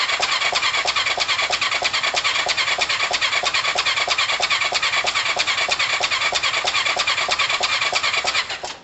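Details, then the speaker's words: Kawasaki ER5 twin, second start attempt after valve work: thin, raspy, uneven popping that labours then cuts out; rough running. Timing still off despite normal procedure; owner suspects sprockets could be out, exhaust and inlet valves open together, possibly damaged valves. "it's definitely not timed still even though i followed the normal procedure"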